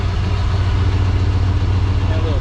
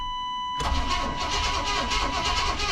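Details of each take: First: 1994 Chevrolet K1500 Blazer, first start in 18 years after a new gas tank and fuel pump: it fires off the key into a steady, even low rumble with no misses, knocks or ticking. Not smoking beyond a small puff; normal idle. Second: 1994 Chevrolet K1500 Blazer, sitting 18 years, after new gas tank and fuel pump install, first start attempt: starter churns at a steady rapid beat for about eleven seconds without catching; fuel pressure likely not yet built.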